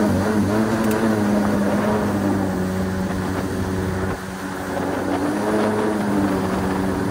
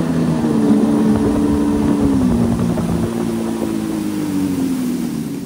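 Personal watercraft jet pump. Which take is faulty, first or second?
first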